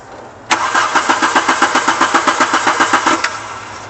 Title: Car won't start again after cut off